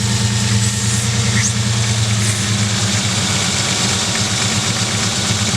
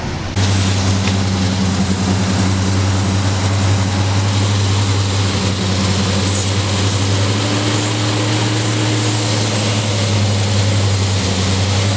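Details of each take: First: 1999 Ford Ranger with rough idle while the leaking hose connector under the throttle body, driver side, is held shut: steady, even, smooth idle with no sputter, as it should always run; it worsens when released. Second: 1999 Ford Ranger idling with a vacuum leak at the hose connector under the throttle body, driver side: steady airy hiss and sputtering, uneven idle that caused stalling at stops. The idle smooths when the hose is plugged.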